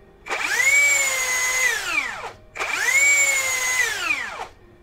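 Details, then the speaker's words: Cheap rebranded brushless drill: heavy, rough, strained whine climbing, holding and dropping over two short runs because the rotor rubs the stator; forcing it further would damage the controller module. "ini putarannya berat Kenapa berat karena bergesekan antara Rotor dan stator yang kalau dipaksakan itu akan merusak modul"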